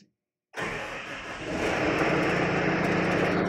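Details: Rayco C120, 120 hp diesel (Cummins or CAT engine), started from the cab during daily operator machine care: silence, then the engine catches at once and settles into a smooth, steady run with no misses or knocks; a normal start.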